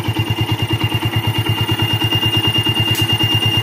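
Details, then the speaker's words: Old Yamaha Vixion, fully warmed up (noise absent when cold); even single-cylinder idle thump about three beats a second with a constant high whistle: worn water pump seal squealing. "Nah, mungkin bisa kalian dengar di sini yaitu ada sebuah bunyi atau bunyi siulan di bagian ini guys. Oke, dia bunyinya dencit ya."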